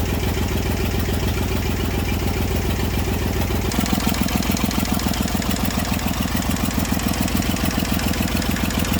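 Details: Massey Ferguson 35 diesel tractor, sat in woods 20+ years, revived after a rough catch with a little starting fluid; leaking radiator and fuel: idle settles to about a hundred even beats a minute; engine running again.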